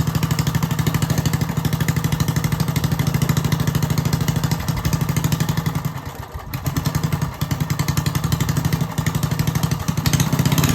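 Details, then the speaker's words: Old Briggs & Stratton single-cylinder mini bike engine with a swapped coil, stage 1 air filter and 0.038 jet, on a cold snowy day: it now starts after the coil change and runs steadily, sagging briefly, with choke needed to keep it running. "I started it up already. It starts. It just needs some choke movement to keep it running."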